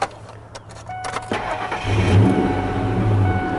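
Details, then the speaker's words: Used vehicle cold start during a pre-purchase check: the engine cranks, catches and settles into a steady, even idle with no rattle, exhaust leak or anything out of the ordinary. "I don't hear anything on this particular vehicle, which is another good sign."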